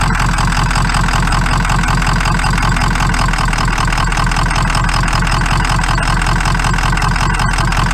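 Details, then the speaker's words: Powerstroke diesel pickup at idle: loud clatter with a lumpy, slightly uneven beat; definitely a weak cylinder suspected, possibly a dead one, to be checked by cranking with the engine shut off; cause not confirmed. "doesn't seem to be definitely got a weak weak cylinder that hole we should shut it off and just crank it see if it sounds like a dead one"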